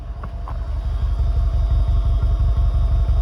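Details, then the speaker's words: Seat Arosa 1.0 MPI with a new cat fitted in place of the missing one, after passing its MOT: a soft, even low putter at the rear exhaust with no blowing or rattle. A healthy idle. "as you can tell it now sounds like a one liter mpi it's completely silent once you get to the back"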